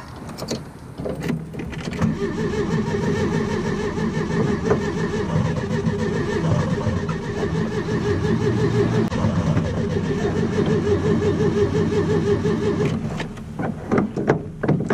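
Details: VW Beetle on a cold, windy day, stalled in the middle of an intersection: steady starter cranking at about three turns a second for ten seconds, and the engine never catches or fires; cranks but won't start.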